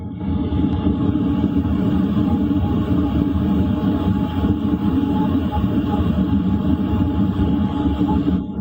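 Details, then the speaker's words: LF Bros diesel heater set to 2 kW output, running at night inside a tent: steady low rumble with an even fan whir, no surging, knocking or rattles; normal smooth running. "Right now I've got it set to 2 kilow. It's about 11 p.m. So you guys can listen for yourselves. This is what it sounds like running at 2 kilow."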